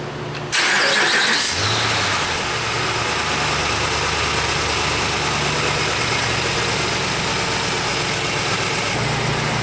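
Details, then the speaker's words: Dodge Ram Hemi V8 on first start after reinstalling exhaust manifolds (broken manifold bolts had been removed), listening for exhaust leaks: steady, even idle with no ticking or puffing from the manifolds, sounds sealed and healthy. "the next thing I'm gonna do is just fire it up real quick and I'll listen make sure you're not leaking"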